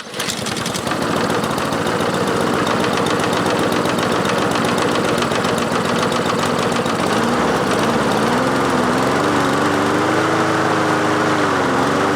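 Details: Craftsman mower with swapped-in Honda engine after carburetor cleaning, choke engaged at start: settles to a fast steady chatter, then pitch wanders up and down after several seconds; better but still running unevenly, cause unclear.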